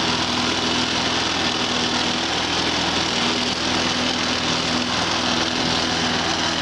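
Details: Lawn mower after repair with new air filter, new spark plug, drained gas and re-secured carburetor bracket: high steady buzzing at even speed, no misses or surging; running normally.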